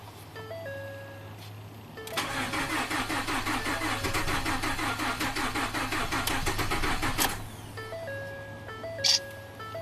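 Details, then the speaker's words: Ford F150 EcoBoost, 220k miles, crank no-start; only code low fuel rail pressure, yet rail builds 1300-1500 PSI on cranking, high-pressure pump not blamed: even starter cranking about five seconds, never catches or fires; cause unconfirmed. "So I can get the fuel pressure to build just by doing short cranks to 1500 PSI. That's the current pressure in the fuel rail, and this thing still is not starting."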